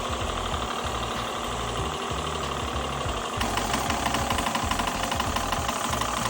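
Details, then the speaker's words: Cat plunger pump in car wash self-serve Bay 2: uneven stumbling knock about three per second like a misfiring motor, pressure gauge jumping, not pulling soap properly; normal pump should run smooth and rhythmic; to be disassembled to find the cause. "Well, this is Bay 2, and it sounds like a misfiring motor, and you can see the gauge jumping and hear the tapping. So obviously it shouldn't be doing that knocking."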